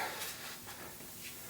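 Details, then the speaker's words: Old bicycle inner tube, removed and pumped up to test: faint steady airy hiss from a big hole, probably a pinch flat; tube is junk, not patched. "yeah big hole probably a pinch flat from right down low"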